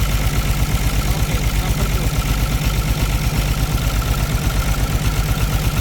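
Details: Caterpillar C13 heavy diesel idling with valve cover off during an injector cut-out test, lumpy uneven beat about 167 per minute with dropouts, heavy smoke; misfiring cylinder suspected from a bad injector or rocker arm problem, not confirmed.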